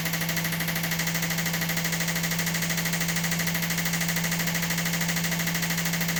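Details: Washing machine spin cycle with a steady drone and a regular thump about three times a second; worn shock absorbers let the chassis flex and crack, causing the banging; fixed by replacing the shocks and repairing the cracked chassis.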